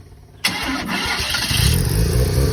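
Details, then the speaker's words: Rotary-engined trike with a water leak the owner suspects is from a manifold gasket; a short crank, then it catches straight away into a strong, even rotary idle with no misses: normal start and idle. "Besides that, as you can hear, we'll do it again. The engine fires up pretty bloody good."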